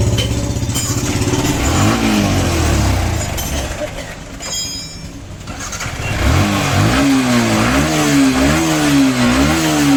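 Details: Yamaha R15 V4 with engine noise and missing, revved up and down: steady quick clatter about four per second riding on the engine; timing chain noise, fixed by replacing timing chain, cam bearing and rocker.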